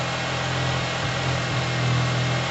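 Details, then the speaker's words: Cold Yamaha TMAX after carb clean, airbox off, second start attempt without starting fluid: idle ticks over low and lumpy, beat sagging and recovering; idle set too low and unsteady, to be raised slightly. "I'd slightly higher it up. It's a bit iffy."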